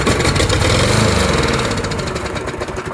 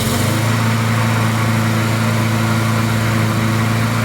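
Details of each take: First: Poulan push mower with a Briggs & Stratton Quattro 4 hp engine and plastic carburetor, carb removed, run on sprayed carb cleaner: it fires, revs briefly, then dies with no fuel supply. Old stale fuel had been diluting it; spark and compression are fine. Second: Poulan push mower with a Briggs & Stratton Quattro 4 hp engine, after fresh oil, fresh fuel and a sharpened blade: a steady, even low hum with no misses, surging or knocks. Normal running.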